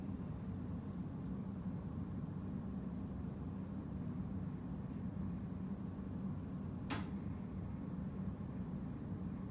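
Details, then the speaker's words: Washing machine quick spin right after drain, once the actuator clicks it over to spin: a low, steady hum through the whole spin with no knocking, grinding or wobble; normal sounds for this machine. "There's your quick spin. All right. And that's the normal sounds of the machine."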